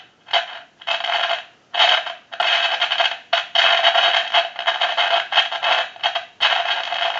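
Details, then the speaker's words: Vintage Grand desk telephone, receiver audio heard through an amplifier at initial checkout: harsh hissing crackle in uneven bursts every half second or so; noisy line, cause not yet found. "and it is very noisy now that is amplified"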